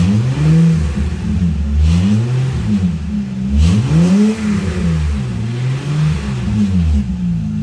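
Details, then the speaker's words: 2005 Acura MDX with failed muffler, essentially no exhaust, before budget repair with muffler putty and bandages; loud, raw, open roar swelling and falling with each rev, like a racer car with no exhaust: exhaust leak. "Right now it sounds like a racer car with no exhaust. And essentially it's what it is. It has no exhaust."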